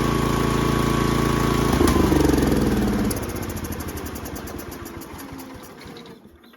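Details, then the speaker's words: Toro Groundsmaster 52 with a swapped Briggs & Stratton 16hp cast-iron single: thumping about four beats a second that fades and stops; starts with gas poured in, runs about 20 seconds then dies, carburetor fuel starvation. "So kind of strange carb issue. It'll start if you pour a bit of gas in it. It'll run a bit."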